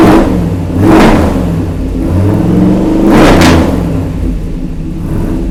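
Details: 1948 Mercury pickup V8 after first start in 50+ years, good oil pressure: runs smoothly and revs cleanly twice about two seconds apart with no stumble; slight hesitation on startup, owner suspects lean mixture needing tuning.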